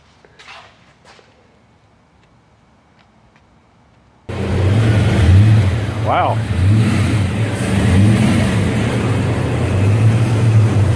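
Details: Car damaged in a front-end accident: the engine revs up and falls back cleanly with an even exhaust note and no knocks or misfires; it is running normally.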